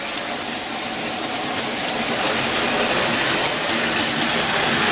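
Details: Outdoor model railway after major track replacement using double-length fourth radius curves for fewer joints: steady hiss of wheels with soft regular rail-joint rhythm, no knocks or jolts; train runs smoothly.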